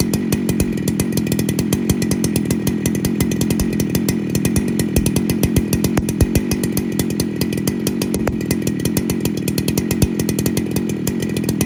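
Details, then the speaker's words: Fully rebuilt 2019 Husqvarna 395 XP chainsaw with dual-port muffler, first heat-cycle test run: crisp, rapid, even firing at high revs, slight four-stroking gurgle at over-speed, clean exhaust crackle, no bogging; normal running. "beautiful 395 XP that boy she sounds good with that dual parted Muffler eh"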